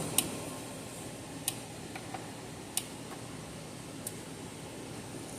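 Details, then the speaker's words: Gallagher S100 solar fence charger, about 5 years old, after module replacement repair; sharp single clicks roughly every 1.3 seconds over faint room hum, evenly spaced; later tested about 8.5 kV open circuit; normal pulse clicking. "hear it clicking probably good to go"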